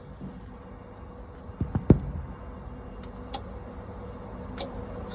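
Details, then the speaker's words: Kohler/John Deere 60 kW REOZJ generator on a mobile MRI/X-ray trailer, Dexa controller: relay clicks, LED 4 blinks, but nothing reaches the starter and it never cranks; E-stop LED on, damaged fuse, five-pin crank relay suspected. "I hear the relay LED 4 blinks nothing go to the starter"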